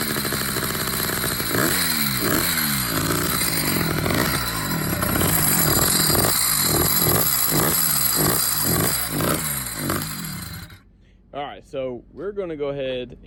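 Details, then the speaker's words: Motorized bicycle two-stroke with uncovered wet clutch under test, before cover and fluid added: clutch clatters unevenly about two beats a second over buzzy idle; loud clutch noise, owner expects its bearings won't last. "Alright, so I got the bike fired up. You can hear the clutch. Four bearings in that thing are not gonna last long."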